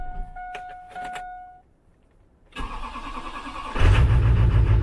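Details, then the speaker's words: 2001 Chevy Silverado Duramax LB7 diesel, cold start in freezing Maine winter after a starter replacement: wait-to-start chime and pause, then a brief crank and it catches at once into a steady idle; healthy start. "but we're going to hop right in, do the old cold start. Get the old wait to start thing to go on here."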